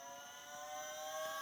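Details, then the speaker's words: Holden Astra electric power steering pump in a 1988 Honda Prelude EV conversion, 12-volt supply, drawing about 27 amps holding pressure: steady motor whir rising cleanly to speed; pump runs normally. "seems to pull about a constant 27 ants just sitting there maintaining pressure but it works good"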